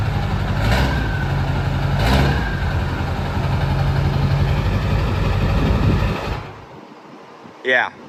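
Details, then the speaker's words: 2002 Ford F350 dually, 7.3 Powerstroke diesel, about 183,000 miles, 5-inch straight pipe with 6-inch tip: loud, even low rumble with a steady beat and no knocks or misses; healthy idle. "that sounds pretty nice. That is the 7.3 Powerstroke."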